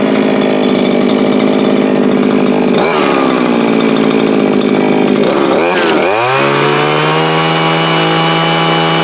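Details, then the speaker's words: Viper ice auger small two-stroke, started with choke on: sputters and surges unevenly, revs hunting before settling to a rough high buzz; doesn't seem to pull fuel from the tank, owner says it needs a carb kit. "So what am I going to say? Needs a carb kit. Definitely needs a carb kit. It'll work."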